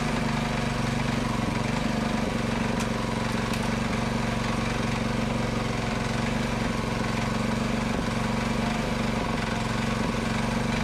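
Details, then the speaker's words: Predator 224cc Max Performance engine with milled, ported HEMI head and stainless valves, first run after rebuild, choke on: steady, even single-cylinder chatter holding one speed, no misses, knocks or hunting; runs healthy. "all right that is so good predator max performance max performance 224 cc with a hemi head what do you think guys is that not amazing or what"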